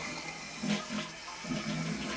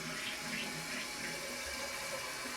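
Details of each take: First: Toilet test flush after replacing a leaking 2-inch flapper that caused constant running and phantom flushing: flap lifts, strong rushing gurgling flush empties cleanly, no water running afterward; repair successful, normal flush. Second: this flap down here doesn't reseat. That's because that little arm broke off.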